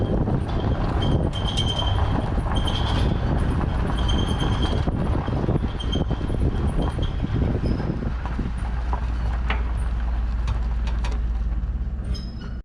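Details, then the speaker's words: Truck pulling away with a trailer in dry conditions after the equalizer hitch bolts were retightened to 75 ft-lb (a loose bottom bolt found): steady low rumble, no creaks or groans; hitch now quiet. "That was a huge improvement. I mean, I know that it's not making a ton of noise because it's not wet, but oh my god, there was like hardly any noise."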